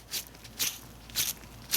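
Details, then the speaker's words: Supercharged BMW E36 M3 during serpentine belt replacement, removed idler pulley spun by hand: four short gritty rasps about one every half second; idler pulley bearing rough and worn out, replaced with new bearing. "Here, listen to this. This one is like toast."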